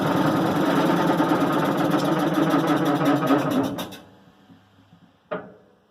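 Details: 1990 Maytag LA211 washer on spin cycle: rhythmic groan about four times a second, fading as drum coasts down; belts, brake and the brake's bearing already replaced, cause still unknown.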